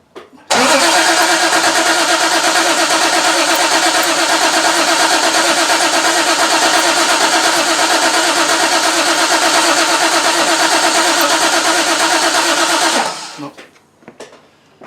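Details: 1968 Triumph TR250 first start after restoration, fuel pump primed, throttle worked by hand: steady even cranking about three turns a second for twelve seconds, never catching; no spark because ignition wires from the emissions setup were switched.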